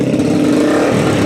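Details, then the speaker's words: Motorcycle that misfired with lights or switch on, after replacing grounded rectifier/regulator caused by wrong wiring: strong, clean rev with steady even drone, no stumbling or cutting out — pulls well, healthy. "Ayan. Maganda yung hatak ng motor. Ano? Ah goods na po yung motor niya."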